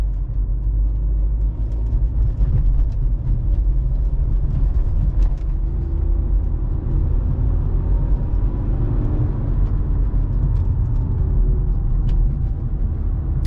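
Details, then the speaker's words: BMW 123d (N47 diesel, 204 hp) road test after failed rear differential bearings were repaired: a steady low road rumble at cruising speed, with no whine or howl from the rear. The differential is now quiet. "Ah, il n'y a plus un seul bruit, plus rien. Encore une de sauvée."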